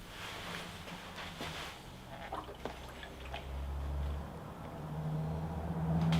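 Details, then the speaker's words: MINI R50 Cooper after engine refit: quiet irregular gurgles as air bubbles through coolant while filling via a Sealey VS0043 filler; normal air purging during coolant fill. "I'm going to use the Sealy VS0043 filler, because that does actually enable you to sort of run the engine as well to make sure all the air has been purged out. So like so, there's a little tap on it as well, so it's quite a, you can hear it bubbling away there."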